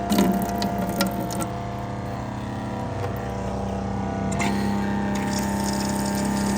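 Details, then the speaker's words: Suncast Water Works 4-compartment concession sink, water pump just switched on and pumping, air still in lines before valve opened to bleed it. Steady motor hum with faint pulsing as water and air flow; running normally. "But anyway, let's turn it on. The pump's going to come on. It should be pumping water now."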